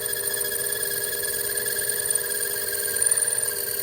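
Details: Lathe boring operation with a flipped boring bar, run at slow speed and slow feed on a homemade gunsmithing bench block: a steady high ringing whine as the boring bar chatters against the work.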